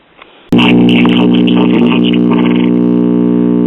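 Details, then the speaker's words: Silvertone tube radio on repaired battery eliminator with fresh capacitors (103–136 V high side, 7.6 V low side unloaded): steady low stacked hum while powered, stopping when unplugged; mains hum, cause unsure, suspected missing AC bypass capacitor or wiring mistake. "Well, we've still got hum. When I unplug it, you can hear the hum go away, so it makes me wonder."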